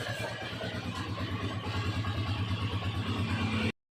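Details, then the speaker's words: TMX 155 single-cylinder after a full engine overhaul, started cold: runs with an even, steady thump, no knocks or rattles; rebuilt engine sounds healthy. "Ayan, malamig pa ng makina niya. Ayan siya yan mga idol oh. Napakaganda yung andar niya mga idol."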